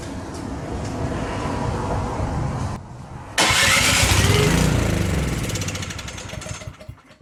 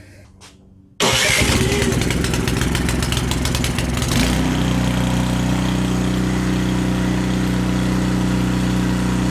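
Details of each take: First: Canadiana snowblower with a Briggs & Stratton 800 series engine that came in with a no-start. With the key in and choke off, it catches and runs rough for about three seconds on quick-start spray, then dies. Stale fuel in the carburetor; carb removal and tank draining planned. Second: Canadiana snowblower with Briggs & Stratton 800 series engine, after the carb jet was bored one size bigger to cure lean surging, started on closed choke: cranks, catches, revs briefly, then runs steady and even with no surging; fix worked, normal running.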